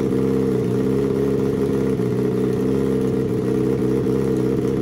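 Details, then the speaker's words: Turbo Suzuki Hayabusa engine in a homemade car, tuned with Power Commander/AutoTune at 2000 feet: fuel leaned for smoother idle but left slightly rich for shipping to sea level; smooth, steady idle with no hunting or stumbling. "now you'll see how Mike leans the fuel for a more smooth idle he leaves it a little bit rich but we're at 2000 feet and the motor will be shipped to sea level"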